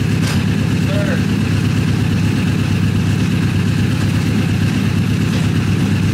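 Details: Rebuilt Honda CBR1000 buggy engine after repair of major cylinder damage: a deep, steady rumble with an even beat and no knocks or rattles. Runs healthy, much better than before the rebuild.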